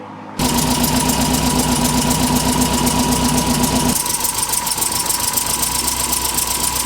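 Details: 1964 Triumph TR4 with rebuilt TR3 gearbox and overdrive, after refitting a backwards-mounted part whose flywheel bolts were rubbing: engine catches at once, steady even idle with quick regular tick, no rough knocks; running healthy.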